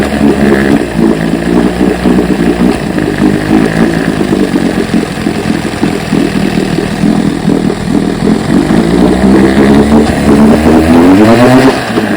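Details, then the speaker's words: 1968 Evinrude 9.5 HP outboard after cooling-issue repairs: crisp two-stroke buzz at a fast, even idle, revs rising and settling cleanly with no misfire or stumble; motor now running perfectly. "I believe we got her. We got the good, but not good enough motor running perfectly."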